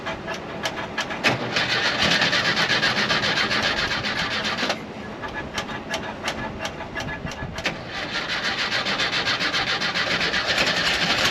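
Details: 1968 camper bus engine after freeing a stuck valve, new pushrod and patched pushrod tube, started on battery charger boost: uneven stumbling run with irregular sharp pops; rough running, owner suspects old points or too much fuel from the carburetor.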